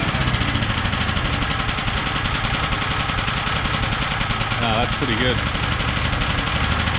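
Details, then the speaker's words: ETQ TG72K12 portable generator, about 14-15 years old, 13 hours, unrun 10+ years: steady, even small-engine drone with gentle speed shift as auto throttle settles; runs smooth and healthy; normal running with auto throttle. "oh look at that even the auto throttle works wow I really didn't think that was going to start"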